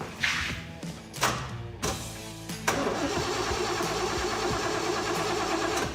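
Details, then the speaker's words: 1973 Chevrolet El Camino 454 big-block GM crate engine, while setting ignition timing: several short starter bursts and a longer crank that never fires; no spark; cranks but no start. "don't tell me now it doesn't have spark it doesn't have spark okay"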